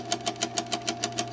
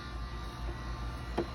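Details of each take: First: Insignia NS-IMN44BS4 nugget ice maker running with a little water in it: low steady hum with a sharp knock about six times a second, evenly spaced. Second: Insignia NS-IMN44BS4 nugget ice maker running normally after motor replacement: low steady motor hum with no knocking or clunks, just one or two light clicks.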